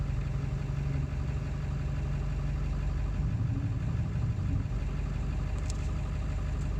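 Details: 7.3 diesel at idle after ICP sensor replacement, still running poorly: a steady low idle with a slightly uneven, lumpy beat underneath; rough idle, cause not yet identified.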